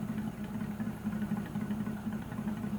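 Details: 1941 Ford pickup, not yet warm, after carburettor flooding issue: slow, steady chuffing idle, slightly lumpy but even; running cleanly on its carburettor, owner says it sounds a little better; normal idle.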